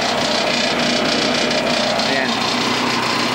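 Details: Cable reel machine diesel engine that would not start on a low battery even when jumped: steady, even diesel beat with no misses or knocks; normal running.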